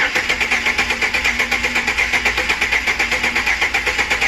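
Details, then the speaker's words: 330,000-mile 2008 Chevrolet Express at idle with an intermittent misfire now steady: a stumble of about six soft chuffs a second, one beat dropping out each cycle. Dead miss on one cylinder; oil smoke seen, owner suspects rings. "I'm thinking it's probably the rings, which really sucks because I didn't see any problem with the rings when I had the head off. That's where I am so far. It's pretty much a dead miss now."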